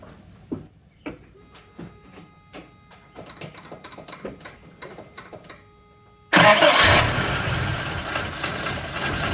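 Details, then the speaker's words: Toyota Hilux 2WD truck after fixing an exhaust leak at the block-off plate, where nuts were loose or missing. A few clicks, then a steady, even idle, quiet like a sewing machine, with no ticking or puffing: normal start and idle. "Look at that. Quiet like a sewing machine."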